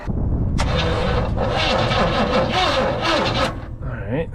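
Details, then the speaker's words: 1966 Chevy panel truck sitting about 20 years, cranked on a lithium jump pack: steady even cranking for about three seconds, slightly funky but no grinding or harsh noises; starter turns engine freely. "that sounded pretty good little little funky but no no harsh noises"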